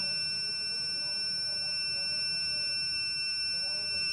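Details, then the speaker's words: Working model fire alarm, tube-light starter heat sensor wired to a battery and buzzer: once heated, a continuous high-pitched steady buzz; the alarm sounding as intended. "तो देखिए दोस्तों, ये आवाज़ कर रहा है, इसका मतलब है कि हमारा जो फायर अलार्म है वो काम कर रहा है।"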